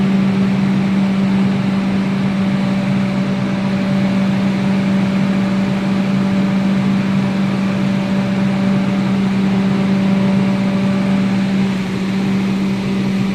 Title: does anybody know what that loud noise coming from the 3000 Class Hybrid Train is